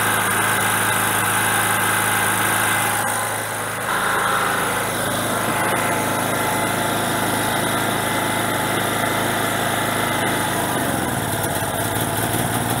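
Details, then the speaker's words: Generator on gas via regulator to carburetor, small bottle very cold with too little pressure: uneven note, then sags and drops off near end; fuel starvation, bigger bottle needed. "okay so there is not enough pressure in the tank and it it's really cold so it means that it ran a lot of the propane out"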